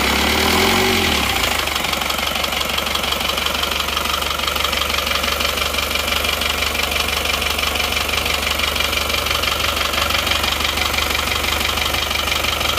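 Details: Diesel Panther engine after liner and piston-ring replacement, fitted with counterfeit "made in Japan" pistons: harsh, clattery idle with a hard rattle about three per second; genuine pistons later ran smooth.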